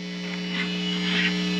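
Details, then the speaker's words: USB audio mixer feeding a powered monitor via joined XLR cables: plugging in the PC brings a constant low mains hum with buzzy high-pitched edge at steady pitch; ground loop through the connected computer. "as soon as i plug in one of these other devices so in this case i'm plugging in my pc you'll notice things go haywire right away now"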